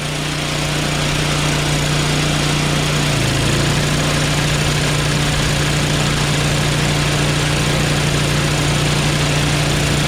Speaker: that's idle so there you go man it's way more powerful than before